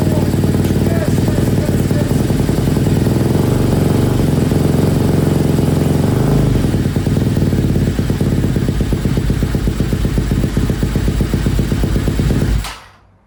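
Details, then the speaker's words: Freshly rebuilt KTM 250 SX-F first run, in neutral, choke on: crisp even four-stroke bark holds steady about twelve seconds then cuts cleanly; oil pump confirmed working; normal running. "All right, I don't want to risk anything, but that sounded really good. You never get tired of trying to run these engines for the first time. But that sounded good."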